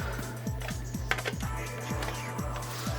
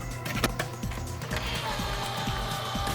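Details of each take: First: Original PS4 Blu-ray drive, powered on: faint even ticking about three times a second over mains hum as the laser tries but never reads; won't accept or eject discs, caused by a damaged drive-to-motherboard ribbon cable, fixed by replacing the cable. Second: Original PS4 Blu-ray drive after replacing damaged, over-bent ribbon cable to motherboard (was slow eject, faint beep, slow feed): soft motor whirr and light clicks as disc draws in smoothly, spins up and reads; normal disc loading.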